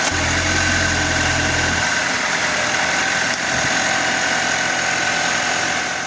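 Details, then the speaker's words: 2023 Audi Q5 2.0 TFSI (DPU), 15,000 km, at idle after replacing the failed PCV valve and correcting camshaft cover bolt torque: an even, steady idle with no misses, hunting or hissing, holding stable crankcase pressure; normal idle. "We replaced the PCV valve, corrected bolt torque, and after the repair, the engine runs smoothly, holds stable vacuum/pressure, and is now completely dry and leak-free."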